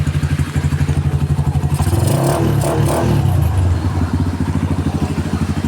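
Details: Kawasaki Barako 175 single after hard-start repair: fresh tune-up and old carburetor refitted and tuned, worn camshaft noted; starts on one kick, even thumping idle about four beats a second, rises cleanly on throttle, very quiet engine.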